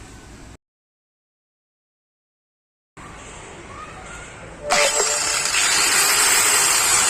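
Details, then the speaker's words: Angle grinder after repair: carbon brushes thinned and whole unit greased, including the previously dry bearings; it spins up to a high, steady whine, much quieter than before and no longer stalling while running. "ये हमारा ग्राइंडर बनकर तैयार हो चुका है। इसके हमने carbon Bush पतली किए हैं और इसको पूरे को हमने ग्रीस किया है। इसकी आवाज़ पहले से काफ़ी कम हो चुकी है और ये कहीं अब रुक भी नहीं रहा चलते चलते।"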